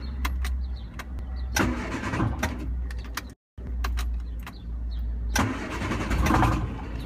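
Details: 1974 MG Midget turns over steadily in two long cranking bursts but never catches; plugs cleaned and starter fluid tried, fuel pump fine; owner suspects an air-related problem. Cranks, no start.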